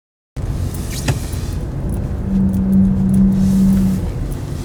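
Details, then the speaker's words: 2012 Audi A3 2.0 diesel, 168 bhp, 80,000 miles: a thin, steady squeal over the engine drone lasting about two seconds while turning slowly left or right. Owner suspects a wheel bearing; not confirmed. "The second problem is when I turn the car at low speeds to the right or left, you do hear this little squeal, which sounds like it's a wheel bearing issue."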